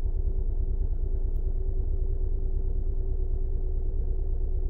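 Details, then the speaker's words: 2011 Honda Pilot 3.5 V6, code P0302: uneven idle lope, about three stumbles a second, from a dead misfire on cylinder 2 confirmed by misfire counts. "all right so let's start it up oh yeah it's got a dead Mist to it"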